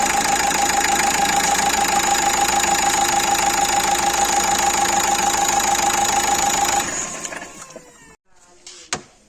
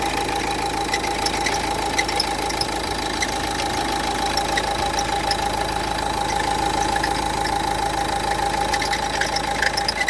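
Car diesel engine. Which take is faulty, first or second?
second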